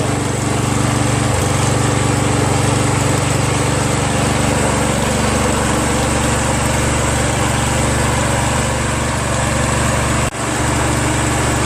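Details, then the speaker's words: Free Exmark Metro 36 commercial walk-behind mower after recoil starter repair, started with starting fluid: small engine holds a steady, even buzz with no stumbles or surging, not flooding; running properly. "I don't see many leaves and it's not flooding that sounds good"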